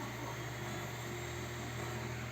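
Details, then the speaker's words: PC system unit cooler fan after cleaning and lubrication, running noticeably quieter: steady soft whir and low hum, smooth and even, no rattle; the unit's shutdowns were traced to a failing hard drive with bad sectors, replaced with an SSD. "вот у меня здесь второй работает тише вообще"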